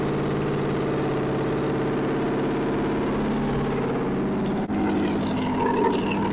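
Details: 1964 Chevy 283 small-block V8, fresh budget rebuild with DIY porting, on a test stand: steady fairly busy warm-up run with even firing rhythm and no misses; normal.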